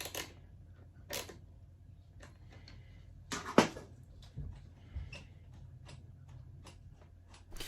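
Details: MiRider One e-bike rear disc brake worked on the bench: sharp, irregular dry clicks as the pad rides over the edge of the cam from poor pad adjustment after the cable had slackened.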